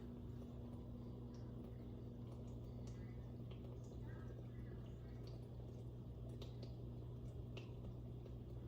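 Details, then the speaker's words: Dishwasher after removing a piece of plastic and glass from strainers that caused a loud humming noise, reassembled, rinse-only cycle: quiet steady hum with faint trickles, no rattle or grinding; filling normally after repair. "So I'm going to turn it on, let it run for a while, see if it makes the noise again. Rinse only. It's now filling."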